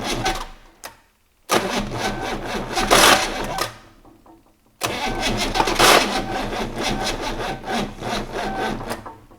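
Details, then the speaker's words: 6.2 L GMC V8 diesel unstarted for 15-20 years, glow-plug heat and some throttle: two long bursts of labored, uneven cranking with pauses, compression present but no firing; turns over too slowly to start, batteries flat. "he's trying he's got some compression isn't it yeah right you want the heat back on the heat it just don't turn over fast enough does it"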